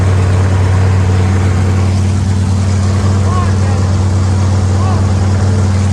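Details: Factory stock race car engine with the transmission out, floating on its front motor mounts, after fitting the right flywheel, which reduced vibration: loud, deep, steady idle with a heavy rumble and no knocks or misses. It runs healthy.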